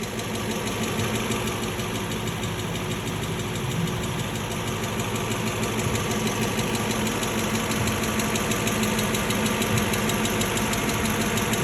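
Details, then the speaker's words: Low-mileage, one-owner Aston Martin 4.7 V8, recently serviced at a franchise dealer, heard driving into the workshop. Steady idle with a deep repeating knock of about three per second under the exhaust. Big end bearing failure. "car came here very recently after that purchase and it was in for some work and immediately on driving into the workshop you can hear the engine exhibiting quite a undesirable"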